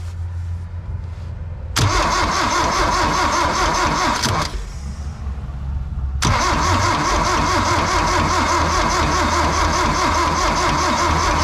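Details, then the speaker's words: 1972 Toyota Celica 18R-C engine cranked with coil disconnected (no spark) after first start in 26 years; steady cranking with an even slap each turn from the top end, apparently all cylinders, source unconfirmed. "I hear it up front. Don't you hear that? Yeah, Come actually, up here and listen. It's all of them, actually. They're all making a little slapp"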